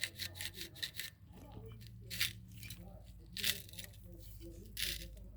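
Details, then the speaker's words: Rear axle bearing on a 1957 Chevy (Tri-5) rear axle fitted in a 1939 Ford Standard, spun by hand after slide-hammer removal during rebuild: dry, gritty crunching rasp in uneven bursts; dirty oil noted; bearing worn and gritty, needs replacing. "Listen closely. It's not supposed to sound like that,"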